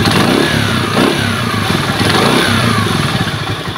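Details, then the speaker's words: Rusi motorcycle only one week after an overhaul: uneven, chuffing revs with puffs of air escaping at the cylinder head gasket, stumbling as if about to stall. Head gasket leak; valve clearance to be checked. "dito po sa part na ito ng gasket may singaw pong hangin"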